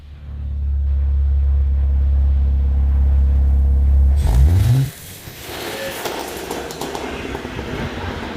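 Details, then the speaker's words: Junkyard BMW E46 318 Touring drift build, first start with catalytic converter removed and exhaust welded up: deep rumble, sharp rev dropping off, then crackles and pops on overrun; slight engine rattle noted. "No, but seriously, it sounds really funny with pops and bangs."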